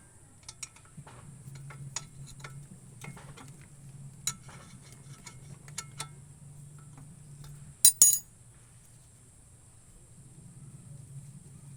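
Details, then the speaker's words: Brake caliper removed and hung, with the guide pins shaken by hand: irregular light metallic clinks and ticks from a loose pin. The temporary fix is wrapping the pin in teflon tape and greasing it. "Alog-alogin ang mga pins, dapat itong ayusin kung may tunog."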